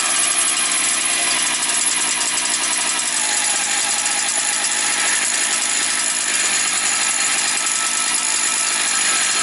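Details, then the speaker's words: Motor Sich 270 chainsaw just started after priming, fifth pull, half choke, top cover off, not yet revved: steady high-pitched two-stroke buzz at even speed, no surging or sputter; runs perfectly, normal running. "Слухайте, працює ідеально. Я ще не газовував."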